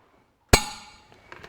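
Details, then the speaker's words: John Deere 2030 hydraulic lift cylinder valves after reassembly: one sharp metallic clink as the valve, worked with a pick, snaps back under its own spring tension, then faint taps. It returns freely with no sticking; normal. "if we bring an o-ring pick up one side and work the valve it's springing back under its own tension no worries at all"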